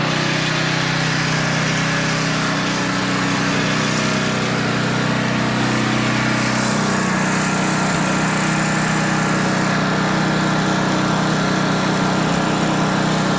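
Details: Older Tecumseh 10 hp engine on a 4,000 W generator with adjustable carburetor jet, carrying a 1500 W load at about 62.4 Hz; steady drone holding pitch without sag or hunting. Normal governed run under load.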